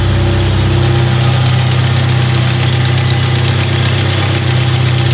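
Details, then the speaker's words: 1997 Jeep Wrangler 2.5L at idle before cat-back exhaust install: sharp even tick about four times a second over steady idle; exhaust manifold bolts loose and missing, gasket blown out. "manifold are loose and missing and the gaskets blown out"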